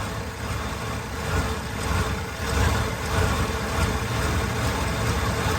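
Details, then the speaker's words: 1988 Chevrolet 1500 Scottsdale V8 after new spark plugs, Seafoam and Marvel Mystery Oil added, still cold: steady low rumbling idle, slightly uneven, stays running, no knocks or misses; normal cold idle. "Still a little cold. But it's staying running. Yeah. That's a win to me."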